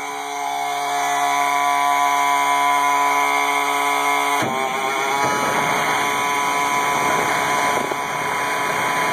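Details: 1986 AM General M35A2C truck, 7,331 miles, 260 hours, cold start at 26°F after about 3 months unused: steady whirring, then it fires and settles into an even idle beating about four per second. Normal cold start and idle.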